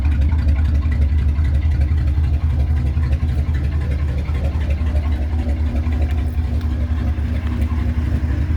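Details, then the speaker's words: 1966 Ford Thunderbird 428 cubic inch V8, never rebuilt, on cold start: deep booming idle that sounds like a boat, with a squeaking belt; both mufflers worn and need replacing, good oil pressure and charging. "uh let's both need new mufflers [Music] as you can hear it sounds like a boat"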